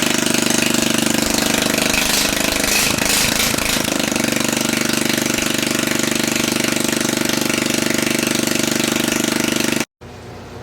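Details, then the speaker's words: Troy-Bilt run with no muffler and a borrowed gas tank, gives a loud, even, rapid exhaust rap with no misses; runs well, debris blowing from under the cover, possible mouse nest. "Well, it seems to run pretty good. I think I need to take that cover off though. There's some debris blowing out from under there."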